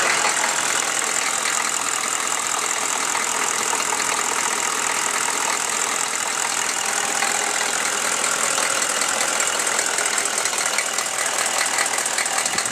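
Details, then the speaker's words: Chevy 6.5L diesel, warm idle after a throttle blip: hard, sharp clatter at a couple of beats a second, rougher than normal diesel rattle, worse after revving; owner suspects a valve or rocker arm, unconfirmed. "Just by it doing it when it warms up, that kind of leads me to make it be a valve."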